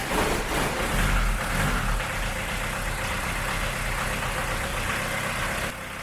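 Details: VW Jetta Mk2 Coupe engine bound for scrap: runs roughly at idle, then cuts and dies as the timing belt is deliberately removed while running, showing what happens when it breaks.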